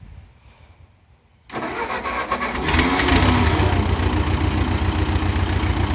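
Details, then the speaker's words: 1957 Ford 660 tractor, first start in 13 to 15 years, started with choke after radiator leak repair: cold engine catches after a second and settles into a loud, raw, blatting idle at about four pulses a second; needs a muffler. "Sounds like it needs a muffler which is okay"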